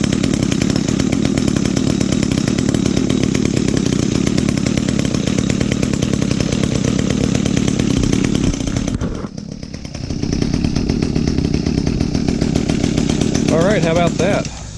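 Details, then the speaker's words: Echo GT 200R trimmer, two-stroke, just fitted new Zama carburetor: buzzy idle that sags and nearly stumbles before recovering; idle speed too low, needs idle screw adjustment. "Sounds like I need to adjust the idle. It's idling a little too low."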